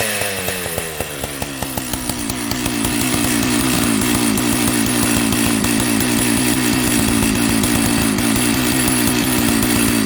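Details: Jonsered 930 project chainsaw restarted at high idle, with a suspected loose spark plug connection: firing pops quickly build into a continuous high two-stroke buzz that holds steady; starts and keeps running.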